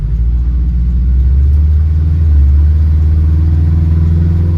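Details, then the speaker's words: 1974 VW bus with Subaru 4EAT, about 2 miles after installing Reversaru gear-driven reversal kit, driving on country road: steady low engine and road rumble, no whine from drivetrain; quiet, healthy, small rattle from loose air scoop. "Did you hear that? Neither did I. Woohoo! No gear whine, she's running great."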